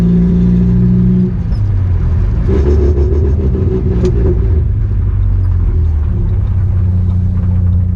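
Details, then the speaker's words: 1986 Nissan 720 pickup with a new Doug Thorley tri-tube header and no downpipe or muffler, driven slowly to the exhaust shop: deep, raw, booming rumble swelling and dropping with light throttle, an open header. "This is way worse than that one time I drove the 4-wheel drive for 2 months without a downpipe."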